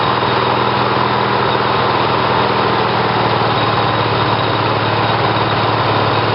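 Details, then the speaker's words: Briggs & Stratton 18 hp twin vertical-shaft engine (model 822707) on battery ignition with GM LS2 coils triggered by failed magneto; constant fast drone, no misses, pops or hunting; runs fine, normal. "so it seems like the engine starts fine and and runs fine"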